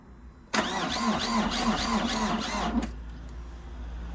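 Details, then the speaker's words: Vauxhall Astra H van, Z19DTH 1.9 diesel, first start after top-end rebuild and retiming: starter whirrs with even compression pulses about 3.5 per second for two seconds, no start; suspected flat battery and disconnected mass airflow sensor, timing seems OK. "Well, it doesn't sound like it's the timing's out. I think the battery's flat."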